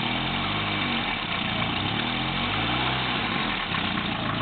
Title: volvo 945ti exhaust leak